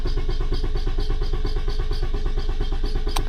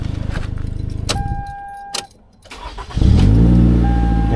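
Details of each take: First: 2011 Toyota Camry with P0335 crank position sensor code: starter cranks evenly at about six beats a second with no firing or catch; crank-no-start traced to damaged, butt-connected crank sensor wiring. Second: 2011 Toyota Camry restart with P0335 complaint: brief crank, catches at once and settles into smooth steady idle; starts right up, earlier no-start possibly a little flooding.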